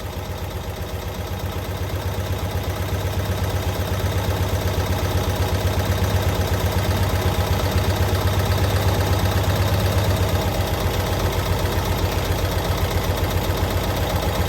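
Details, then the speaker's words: 1992-ish Cushman Truckster, revived after years sitting in a field, idling after fuel fill: even, steady putter at about four pulses a second, no misses or knocks; normal healthy idle, "running like a sewing machine." "I can't believe that thing just sits there and idles. Just purring away."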